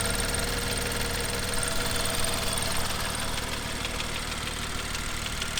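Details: BMW M2 with N55 engine during cold-start warmup: fast light ticking about two per second over a steady idle. Loud valvetrain tapping from the exhaust camshaft area.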